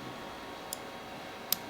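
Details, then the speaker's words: Rat Rod Wrecker transmission cooler fan relay tested by jumping ground to its temperature-switch wire: two sharp single clicks in a quiet room as the relay pulls in and drops out cleanly; relay working normally. "well we're actually applying ground directly so that's what the switch will do is ground the relay to turn it on"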